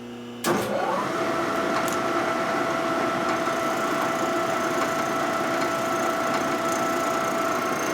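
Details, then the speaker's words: Machining 1946 84ci stroker Knucklehead (79ci Harley) motor rebuild parts, cut repeated after adjusting to -5: steady even motor hum with constant tone and no chatter; tool barely touching, not cutting. "I don't hear any cutting no cutting going on barely touching there you hear it"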